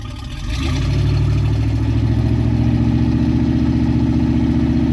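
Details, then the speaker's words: OMC Cobra 5.7 ATK longblock on a sterndrive being water-pump tested after the lower unit and pump seals were resealed. After a short throttle blip to prime the pump it settles to a steady, even idle with no knocking. Normal idle. "once you get it primed you can kick it back to idle and it works fine"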